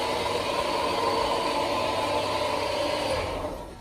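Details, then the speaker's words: Car started with a TACKLIFE T8 800A portable jump starter: a steady, even engine hum with a light mechanical patter and no stumbling, fading out at the end. The engine is now idling normally. "And as you can see, the car is now running properly."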